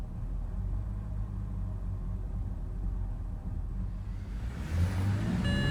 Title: 2006 325i n52 rough idle